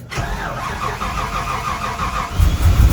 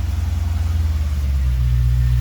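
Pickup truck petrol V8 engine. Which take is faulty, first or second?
first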